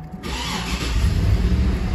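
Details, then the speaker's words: 2012 Cadillac Escalade 6.2L V8 with cylinder 7 misfire, compression test running on cylinder 7: lumpy uneven idle with a stumble, no gauge oscillation, compression below 25 psi; lifters stuck off (collapsed), per bulletin PIP 4568S. "look at this we don't have a compression okay and uh the measure is not is not uh we don't have the oscillation and the compression distance okay"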